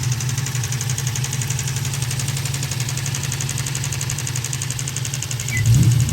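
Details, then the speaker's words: New Edge Ford Mustang after overheating and boiling over coolant while hot lapping at a drift event: steady low rumble with loose, uneven knock about four beats a second from the failed electric radiator cooling fan barely spinning, not the engine; fixed by replacing the fan. "But it really was actually just the fan destroyed, not really spinning very quickly, and it made a knocking sound."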